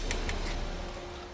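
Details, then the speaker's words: Bicycle disc brake tested after fixing a squeak and letting the brake cool. A couple of faint ticks, then the wheel spins down smoothly with no squeal or rubbing; the brake is now quiet. "rake rotor and then you're actually having friction from brake material on brake material instead of pure mechanical friction on the rotor awesome and that's what keeps it quiet and gives you the power"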